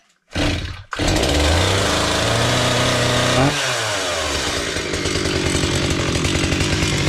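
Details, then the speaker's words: Chainsaw after repair of its idle problem, started cold and run without an air filter: it fires after a pull and settles into a buzzy, even idle that holds without stalling, though it smokes. "So I won't run it long because it gets so smoky again. But as you saw now I have idle just as I said."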